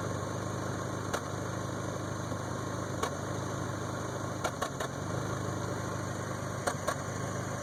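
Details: 1992 Toyota Camry 4-cylinder with rebuilt engine: steady idle broken by irregular sharp stumbles a few seconds apart; misfire.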